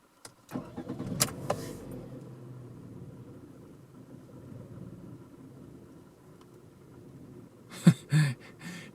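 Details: Warmed-up Toyota Camry restarted settles into low, uneven, shaking idle that sags and wavers, nearly stalling, after battery disconnect; fixed with idle reset/relearn procedure.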